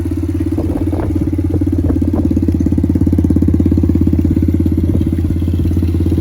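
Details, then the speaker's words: Pit Pro pit bike, 90cc GPX semi-auto engine, new Amazon carburetor, freshly started: small single putting at a steady even idle, about three beats a second, no stumbling; purring along, normal idle. "Sounds like it's purring along pretty good."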